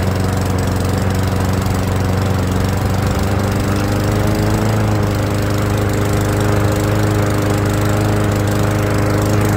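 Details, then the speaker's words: Old Murray walk-behind mower after idle fix: governor spring lever bent forward slightly for more tension to raise idle; steady even low putter, no hunting, surging or misses; normal idle. "that's all that takes all I did was bend that lever forward just a little to put a little bit more tension on that spring"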